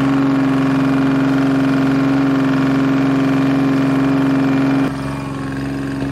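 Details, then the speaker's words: Detroit Diesel three-cylinder on an old dragline crane abandoned in the woods 20+ years, just started after draining water-contaminated fuel from the filters: steady drone with an even firing beat and constant pitch, then a slight drop; all three cylinders firing. "he sounds good he sounds real good [Music] uh to me it sounds good i don't know oh yeah it doesn't sound bad at all it's hitting on all three"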